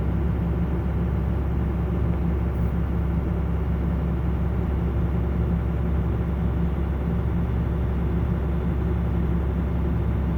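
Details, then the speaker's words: Truck at a 400 RPM fast idle with its belt-driven air compressor, converted from an A/C compressor, running for the air-bag system: deep, even idle rumble holding steady. Normal idle with compressor running. "And the truck is idling at 400 RPM. A fast idle."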